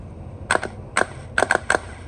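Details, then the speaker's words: Good starter for a 2017 Honda Civic bench tested with jumper on the signal terminal: five sharp clacks with brief whirs as the gear pushes out and spins normally, unlike the faulty starter. "that's being started good so let me show you from another angle so for the good starter you can see that the gear was being pushed out and spinned"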